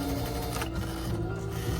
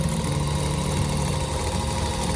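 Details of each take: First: Viking Emerald 118 non-computerized sewing machine that came in very tight and kept stitching after releasing the foot control, before repair: labored, uneven stitching with strained dragging rattle; mechanism binding somewhere, black residue coming out when oiled. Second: Viking Emerald 118 sewing machine that came in very tight, after oiling and penetrating oil on the binding spot: steady even whirr at constant speed with no catching, binding or labouring; running freely, smooth running.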